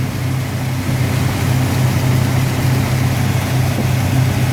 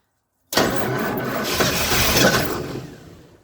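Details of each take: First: 1977 Ford F-250 Dentside 4WD V8, revived after sitting 15+ years, after its fuel pump was repaired. A steady, low idle rumble with a slight unevenness in the beat, running on its own without stumbling. Not the cleanest sounding, but it runs. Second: 1977 Ford F-250 Dentside 4WD, after sitting 15+ years, catches on a starting-fluid spray and runs ragged for about two seconds before fading out. It runs only on the fluid, so it isn't getting fuel.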